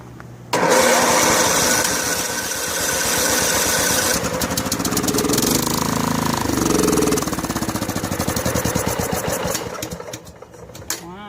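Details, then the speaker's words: Snapper SR1433 rear-engine rider mower, sat 8 years: catches, runs ragged for several seconds, then dies; dirty, leaking carburetor, no vacuum leak found, needs to soak in carburetor cleaner tank. "Well, that's gonna have to go in the carburetor tank and soak for a little bit, I guess. No quick fix here."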